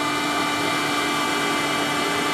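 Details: Worcester Bosch combi boiler whistling only while hot water runs: steady high-pitched whistle over rushing hiss.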